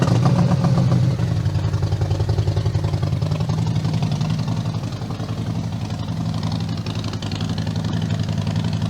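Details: 2020 Harley-Davidson Road Glide Limited with 131-inch motor kit, first start after build, in neutral; deep lumpy potato-potato idle at three or four pulses a second, settling steady with no knocks or rattles: normal idle.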